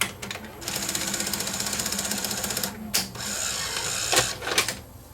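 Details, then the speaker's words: Sony SL-HF900 SuperBeta VCR after repair, having played and rewound a full 3-hour tape: fast even ticking whir then loading clunks, still slightly noisy, possibly from a split gear; normal tape mechanism operation. "okay this unit's been playing now I played this full 3-hour tape through and rewound it and uh it's playing fine and all the controls are functional on here"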